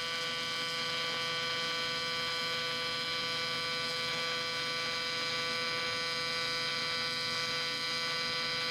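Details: Miller Dynasty 300DX AC TIG welding aluminum while a beginner practices: a steady, even electric buzz at constant pitch with no sputter or crackle; a stable, normal AC arc.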